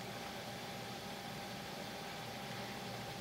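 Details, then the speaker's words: Dell Dimension 8200 power supply fan after cleaning, which previously made a grinding sound: faint, steady whir and soft even airflow hiss with no rattle or buzz; fan now running smoothly and much quieter. "i'm just gonna go ahead and give it a quick power cycle here much quieter i barely even hear it running now"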